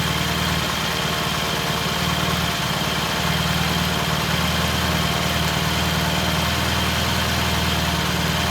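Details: 1968 T100 vintage British twin, first start after a new battery was fitted: steady, even idle with a low regular beat, no misses or knocks. Timing was checked and found dead on, mixture good. Normal idle.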